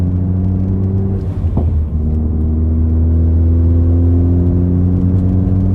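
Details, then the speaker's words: Loud-exhaust Ford Focus ST after fitting a rear parcel shelf trunk cover: steady, deep low drone at light cruising throttle with little cabin resonance, now at about idle decibel level; exhaust drone reduced. "holy crap guys we're we're sitting here at the same decibel level that we were idling at without this cover"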